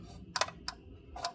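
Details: 2024 Tesla Model 3 Performance on 20-inch wheels, reversing at low speed: sharp light plastic clicks from loose wheel covers flexing on their clips; fixed by removing the covers.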